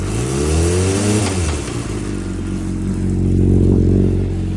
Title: Weird noise(knock) when dropping the throttle